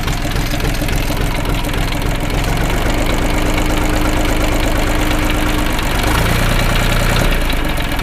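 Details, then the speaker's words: Diesel minitractor engine (KM380/KM385/LL380 type) after full valve adjustment, not yet fully warmed up: even steady idle clatter with no odd knocks or misses; normal idle. "Всё работает хорошо. Мне это даже нравится."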